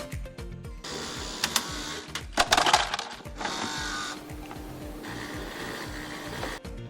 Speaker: one cause could be the automatic release of ice and the supply of Water by the ice maker Additionally the ice maker motor might produce a humming sound during the ice making process